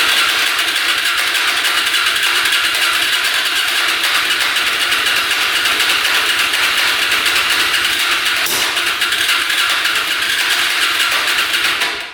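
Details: Hyosung Aquila 250cc motorcycle, fresh oil, fuel pump working: even, fast starter churning about twelve seconds with no firing; fuel leaking from the exhaust pipe, engine flooding, cranks but won't start.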